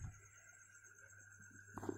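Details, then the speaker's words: Refrigerator compressor that only hums and does not pump: a faint steady hum with no pumping pulses. The overload clicks under high load, the compressor is stuck, and the winding is said to be undamaged. "Oke, masih mendengung. Ini kulkas belum mengalami kebocoran kumparan seperti yang saya jelaskan tadi. Tuh, kedengaran suara daripada overload ini mengalami beban tinggi ya."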